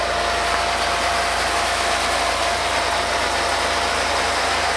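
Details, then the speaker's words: RealYou no-dilution foam cannon spraying undiluted Adam's Mega Foam, nearly empty: even, unbroken hiss with no sputter, surge or gurgle; flawless operation, 47-second run time, shorter because the thinner liquid passes through faster. "Um, this one performed absolutely flawless. No issue there, but it didn't last as long as the other one because again, it's a thinner liquid."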